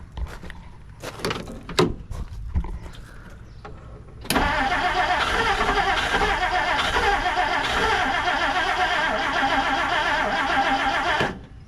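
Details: 1959 Plymouth Savoy abandoned 15+ years, on a temporary fuel tank: after handling noise the starter churns evenly about seven seconds but engine never catches; crank no start, fuel delivery suspected.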